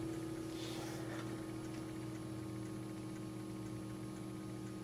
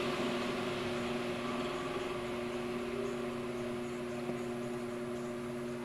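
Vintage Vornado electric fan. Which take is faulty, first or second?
first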